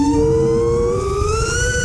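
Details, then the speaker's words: FPV quad without gyro low-pass filter and with high PIDs, a little over mid throttle in a turn: clean singing tone around 460 Hz like a tuning fork; frame resonance later fixed with static notch at 465 Hz. "you can hear it here too it's singing so as i make that turn like that it's like a tuning fork it's kind of crazy"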